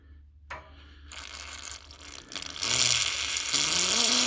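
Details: Viessmann heating system with low pressure and a gurgling radiator that won't heat, bled again with the burner hot: a click, brief hiss, then a steady spitting rush of water from the open bleed valve.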